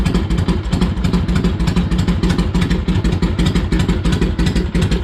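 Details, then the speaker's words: Harley-Davidson Ironhead after pushrod adjustment and primary drain, started cold with a few kicks: loud, deep V-twin idle with an even, loping beat of about three pulses a second, steady and clean with no ticks. "took a few kicks, but she was cold. She sounds good."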